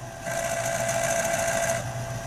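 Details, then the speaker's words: RCA YLG43 reel-to-reel tape deck (1970), playing: loud, busy mechanical whir and steady mid-pitched hum, abnormally noisy; worn wheel driving the take-up reel from the motor shaft has lots of slack and stalls easily. "Et le problème se situe là. Et notez le bruit aussi, c'est anormalement bruyant."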